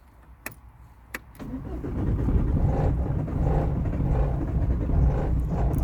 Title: no start 👋